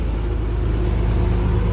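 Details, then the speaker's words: 2000 Thomas 3800 school bus, low-mileage DT466E diesel, about 100°F day, just started: steady, even low rumble with smooth, regular firing and no knocks or misses; normal healthy idle. "Very good sounding DT466E. Low mileage."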